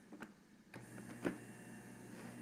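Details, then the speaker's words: Juicer after freeing its stuck-off safety switch by disassembly: switch clicks, then quiet, steady, smooth motor hum with no grinding; machine will work fine, normal running. "So, good news for the person that owns this. This machine is still going to work just fine."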